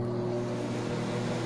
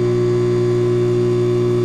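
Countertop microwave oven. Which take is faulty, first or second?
second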